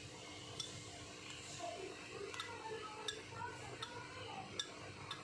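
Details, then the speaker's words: Clothes iron's adjustable thermostat: turning the dial gives sharp ticks about every 0.7 seconds as the contacts snap over like a switch; a normal thermostat click. "bunyi tek tek jadi di bawahnya sini nih dia ada seperti pentolan kecil ya itu dia mengatur seperti timer"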